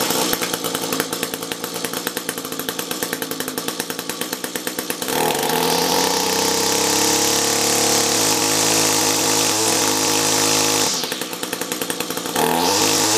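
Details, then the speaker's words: Echo SRM-210 two-stroke trimmer with a rebuilt carb, compared with an identical unit on a new carb: high buzzy note wavers and runs unevenly as it revs and settles. Choppy-ish running, not really breaking up; idles a tad better, possibly due to tune. "The other one wasn't breaking up, to be honest. It was just choppy-ish, let's say that."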